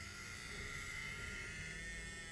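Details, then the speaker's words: Faint, thin whine with a wavering, groaning edge as a Bachmann 44-tonne Bo-Bo switcher model loco with DCC creeps past at full speed yet slow; motor sounds like a dying mammal, running rough, cause unknown. "yeah I mean it sounds like a some sort of dying mammal but apart from that uh yeah it is good and slow"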